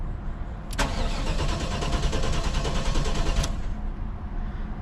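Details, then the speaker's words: LT1 Caprice with original Optispark cleaned of oil and resealed, tested without water pump installed: about three seconds of steady cranking with even compression beats, engine never catches; then nearly starts and starts on later tries. "That is not starting. That almost started."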